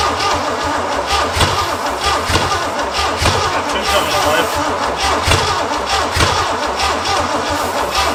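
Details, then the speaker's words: Barn-find Pontiac GTO Judge V8 being cranked after fixing broken plug wires and spraying brake clean, with dry rings and the engine not oiled first. Long cranking with scattered firing, apparently only two cylinders trying, never catching. Cause suspected, not confirmed. "She's got two trying it seems like. Oh, she's thirsty."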